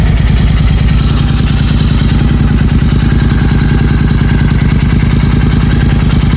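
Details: Royal Enfield Continental GT 650, engine warning light had come on (a fuel glitch, no engine fault found): deep, steady twin-cylinder thump with an even beat and no knocks or ticks; normal idle.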